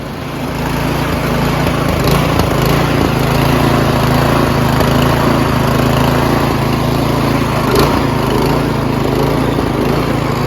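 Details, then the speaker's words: Troy-Bilt Storm 2410 snowblower with an MTD Powermore engine after carburetor cleaning, now running at full throttle without stalling; the drone wavers unevenly at first start, so surging is improved but not fixed. Drilling out the main jet is proposed. "in the beginning when you first start it up you let it run for a bit it does surge and uh all of them do at one point or another they do"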